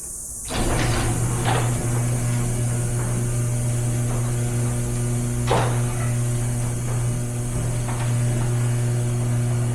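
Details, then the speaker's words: Garage door after replacing the worn, wobbly rollers with new ones: steady low opener hum with only light occasional taps, a smooth and quiet run. "So you can definitely hear the difference on that one. And that's all down to just how the rollers before were performing."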